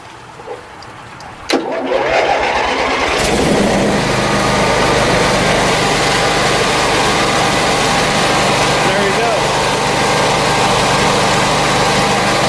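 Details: Generac generator with a Briggs engine, first start after a governor rebuild: short crank, catches cleanly, settles into a steady, even hum with no hunting or surging; rpm near spec, voltage slightly high and not yet adjusted.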